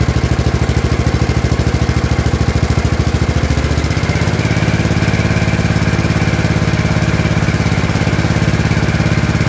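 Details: Gravely 814 tractor that sat outside for years, restarted after fresh engine oil: loud steady single-cylinder chug, even firing, no misses; engine running normally, smoke thought to be spilled lubricant on exhaust.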